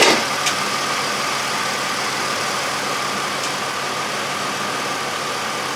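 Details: 2003 Chevrolet Impala idling evenly with no stumble or rhythmic miss after repair of a flashing-light cylinder 5 misfire (P0305); plug wires replaced with new ones and dielectric grease applied; code cleared itself, misfire gone.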